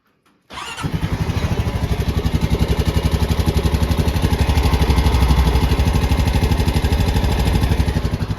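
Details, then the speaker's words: Honda Rubicon 520 DCT ATV single-cylinder, 2,240 miles, 292 hours, valves never adjusted: on cold start it catches, then a steady quick tick rides over the idle; valve tap from loose clearance, making it hard to start when cold. "So you can hear the tap, and a lot of the time when these Rubicons get, that's pretty bad. A lot of the time when these Rubicons get out of whack really bad, it'll get to where they're very hard to start, especially when it's cold outside."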